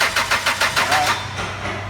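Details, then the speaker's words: 2004 Chrysler Sebring 2.0, crank no start after new computer, cam and crank sensors: starter cranks in even beats, six or seven a second, never catches and winds down; new cam sensor shorting 5-volt reference circuit to ground. "all right we got lucky guys is the first one we picked cam sensor is new per customer but it is shorting the five volt circuit down there on the ground so we're gonna going to start there"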